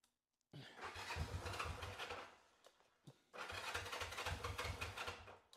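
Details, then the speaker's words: 1974 Honda CB450, left out for a year: two bursts of steady starter cranking, about four turns a second, with no catch; fuel starvation, owner says the left carburetor is clogged and the carburetors need a rebuild, earlier only popped on starting fluid. "It's just your typical, I'm not getting any gas type thing."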